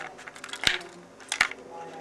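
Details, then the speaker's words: Dapol track cleaning wagon with polishing wheel: light, irregular clicks over quiet running hum from a ball bearing in the fluid tank that controls fluid flow to the sponge pad; normal behaviour, not a fault. "now if you hear that clicking that is the result like a a board bearing inside the tank and you've got to be very careful you don't lose that because it actually controls the flow of fluid to that sponge"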